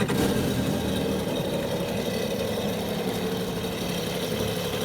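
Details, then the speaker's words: 2017 Yamaha jet ski, wrecked insurance-auction rebuild, first start after repair with flush water hose connected and water coming out the jet pump: steady even burble of about four beats a second with a smooth, unbroken exhaust note; normal idle. "The repair's complete. We got the water hose hooked up. I'm about to have the first start with the water hose hooked up."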